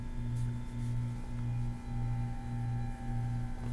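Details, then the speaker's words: Sony PS-LX310BT belt-drive turntable switched on at 33 rpm: steady thin whistle over a low hum with a soft catch about every 0.6 seconds; belt squeal, with the belt seemingly rubbing against something. "Okay. This is the belt drive. It looks like the belt's rubbing against something. What the hell?"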